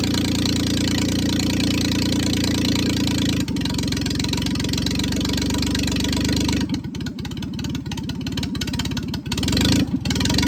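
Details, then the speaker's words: 1996 Geo Metro three-cylinder 5-speed manual, first start after bleeding air from the fuel line; loud, open-sounding idle that wavers and stumbles and won't hold steady; owner suspects the missing idle air control parts, taped over. "doesn't really want to idle. If you take your foot completely off the gas, it runs pretty bad."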